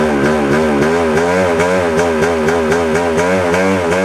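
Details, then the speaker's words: 1997 Yamaha YZ250 two-stroke, warm: idle surges and dips several times a second, sputtering worse in gear than in neutral or first with clutch in; owner suspects crankshaft seal, unconfirmed. "could be related. ated to the crankshaft. Uh, after all, it's it's acting up when I put it in gear. Not so much when it was in neutral and I pulled the clutch in and, you know, started playing with the throttle and not so much sputter when it was in first gear."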